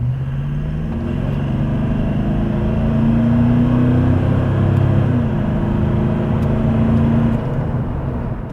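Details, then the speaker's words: Toyota Land Cruiser 200 series with PPD Performance stainless aftermarket exhaust after fixing a leak: smooth, even rumble rising with light throttle, no puffing or ticking; exhaust now sealed. "Sounds pretty good to me."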